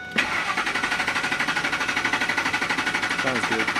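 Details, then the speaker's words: Ford F-150 with waste spark ignition, misfire persisting after coil replacement, cranking with pedal to floor (clear flood) for compression check: steady even cranking, about eight pulses a second; compression sounds good and balanced. "Compression sounds good."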